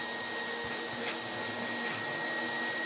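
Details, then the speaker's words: Siemens Super VS 31-45 vacuum cleaner, first power-up before refurbishment: steady even high-pitched roar with constant whine, no rattles, surging or scraping, but almost no suction, likely partly a dirty seal; motor healthy. "and although work it does, there is no suction at all from it, but motor sounds very good indeed."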